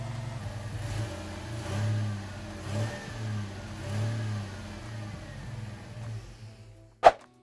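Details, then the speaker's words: V6 Ford Mustang with flashing check engine light and lack of power, revved in short blips that swell unevenly and stumble: cylinder 1 misfire, ultimately caused by a bad ignition coil pack. "So the Mustang had a flashing check engine light and lack of power. You can hear the engine hesitating a little as I rev it up."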